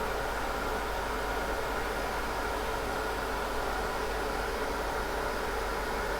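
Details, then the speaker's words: Riden RD6012 power supply after about an hour at 60 V, 12 A, ~720 W, internal temperature 45–46 °C; RD6012 controller fan and case fan kicked in, steady airy rush with no rattle or bearing growl, normal. "You can probably hear that the internal RD6012 fan has kicked in, so there is another fan on the actual 6012 controller as well as the case fan. That's kicked in as well."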